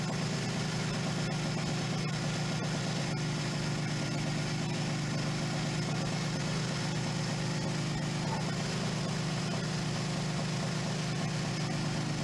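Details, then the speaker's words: 1977 Suzuki GS550 four-cylinder, first start after two years stored: steady, even low rumble with no knocks or misses, idling smoothly while warming from cold; normal warm-up idle. "when you want to ride this bike the startup procedure is exactly the same it takes at least three or four minutes for it to warm up before you can really get up and go on it"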